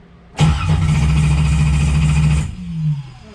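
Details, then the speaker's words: Normal cranking of a naturally aspirated LS 6.0 V8 with BTR Stage 5 cam and PRC 220cc heads in a 1995 Camaro, after replacing a popped ignition fuse (10A to 15A), ignition voltage 17.1; even steady cranking, no start expected, checking RPM signal. "okay I'm going to just crank it over shouldn't start but we should see RPM ready if it starts it's gonna be strange but it shouldn't"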